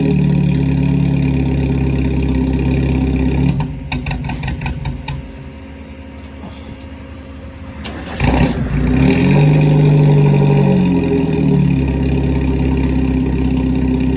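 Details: Newly bought four-cylinder race car revved and dropping back: rough, uneven note that stumbles and pops, skipping and backfiring; misfire, cause not yet found.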